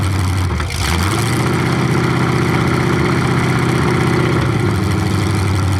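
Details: 427 big-block Chevy V8 on an engine run stand, first fire after sitting a long time; distributor timing just adjusted, owner thinks he turned it the wrong way. Deep lumpy rumble revs smoothly and settles back to idle; runs clean, normal idle and revving.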